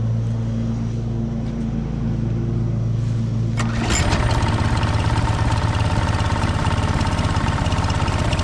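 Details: Husqvarna HU 625HWT four-stroke string trimmer, a non-runner, started after repair work: fires up after a steady hum and settles into an even, quick buzzing run with no misses; running healthy.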